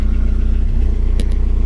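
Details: 2010 VW Gol with EA111 engine, falsely claimed rebuilt, head leaking oil pressure: sharp regular metallic tapping over revving engine keeping pace with speed; piston pin knock.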